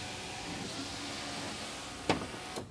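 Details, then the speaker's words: 2001 Volvo S60 2.3 L driver-side power window after replacing regulator sliding blocks for a falling window; motor hums smoothly about two seconds then clean stop, no popping or restriction. "I think this is a fix now the window goes up and down without any popping noise without any restrictions"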